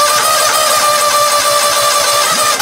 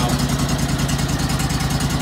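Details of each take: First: John Deere LX277 tractor cold start in January after about 3 months unused, manual choke closed, battery from 2004: sluggish starter whirr nearly three seconds before catching into a slow, low idle; owner suspects worn-out battery. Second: John Deere LX277 lawn tractor (214 hours) cold-started in January after sitting three months, choke gradually released. Slow, even chuffing idle with no knocks; the alternator light is on from the slow idle and the battery is near end of life.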